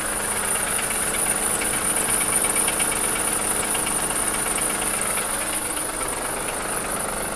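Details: 2003 Acura MDX V6, 208K miles, misfires on all 6 cylinders, valves ticking, water pump sounds bad, timing belt overdue; steady deep metallic knock about three a second under tick at idle; dealer suspects wrist pin or rod bearing; unconfirmed.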